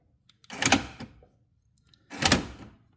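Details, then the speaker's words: Rover 75 with a secondhand door lock actuator just fitted: two short motor whirrs inside the door, about half a second each, with no firm latch clunk; actuator runs but does not lock. "You can definitely hear it working inside, but it's just not doing the locking bit."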